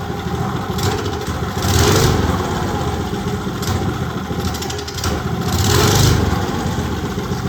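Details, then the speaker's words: Old Briggs & Stratton go-kart engine left outside at least 8 years, earlier found with a stuck valve, carb mixture screw now 1.25 turns out: idles, stumbles reluctantly off idle, then revs hard twice. "Not want to come off idle. It's fucking monstrous once it does."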